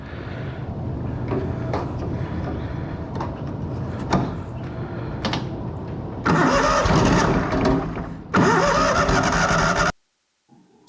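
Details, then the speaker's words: Miller Bobcat 225NT welder/generator with an older Kohler engine, cold: repeated cranking bursts with pauses never catch, because the vacuum fuel pump does not work properly until the engine warms; an electric fuel pump was fitted as the fix. "here I'm just I keep trying and trying thinking that putting gas in it is going to help start this thing but then I realized that actually it's not and there's a bigger problem which I come to find out sooner later"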